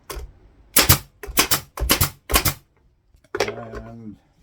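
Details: Brad nailer loaded with half-inch brads, run from a new Harbor Freight air compressor, joining scrap wood: five sharp, crisp pops about half a second apart, each with a short air exhaust. Normal firing.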